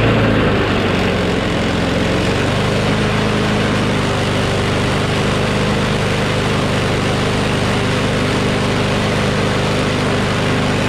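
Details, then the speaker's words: Craftsman push mower with a Briggs Quantum engine after bail cable replacement and carburettor cleaning: loud, steady roar with no surging, stumbling or misfires; runs evenly, with slight vibration suggesting the blade is a bit out of true. "so it vibrates a little bit which means the blade is probably a little bit out of whack"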